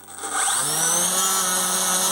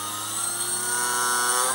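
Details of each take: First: Electric motor of a Dumas Hurricane RC conversion at maximum power after improving connections; steady high whine with slight wavering, surging slightly, losing and recovering power, but far better than before, with strong thrust. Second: Electric motor of a Dumas Hurricane RC conversion, bench-run after fixing an earlier problem, at half to three-quarter throttle; clean steady whine at constant pitch, no cutting out, much better than before.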